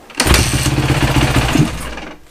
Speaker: So one of the other problems I'm going to be hopefully fixing in this video is that once I give the bike quick throttle like that, it just totally kills the engine, which is a lean bog, and that's because the accelerator pump needs rebuilt.